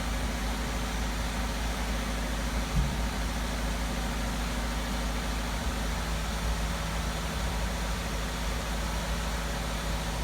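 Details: 2012 Chevy Malibu idling during VVT solenoid testing, exhaust cam actuator being commanded with a scan tool: quiet, smooth idle holding a constant low hum with no ticks or stumbles; engine running fine.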